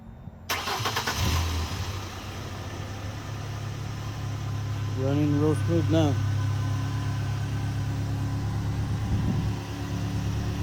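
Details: 2010 Ford Ranger after fuel pump replacement, previously not starting at all: brief crank, catches promptly and settles into steady even idle with no misses; healthy start.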